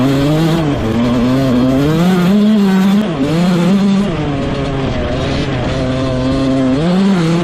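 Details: Rebuilt 2001 Yamaha YZ125 two-stroke, ridden: sharp note climbs and drops cleanly through the gears, no stumble or bog; jetting spot on, air screw maybe slightly off.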